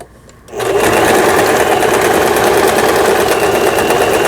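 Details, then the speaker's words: Janome Pro Indigo sewing machine (sold by Lion Mising, about 12–13 years old) after repair of tangled lower-shaft gear and cam follower release arm: quick even needle clatter, no knocks or grinding; triple zigzag, triple straight and straight stitch all normal. "3중겹 지그재그, 그 다음에 직선 3중겹 바느질, 좌측으로 놓으면 직선 바느질, 우진 버튼, 정상, 각종 기능들 정상적으로 박음질돼서 아주 수리가 잘 됐습니다."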